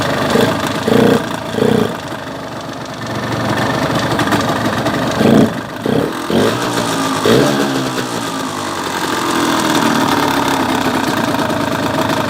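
Two-stroke idling and blipping with a dull knock under the buzz; could be piston slap or a worn crank bearing. Cause suspected, not confirmed.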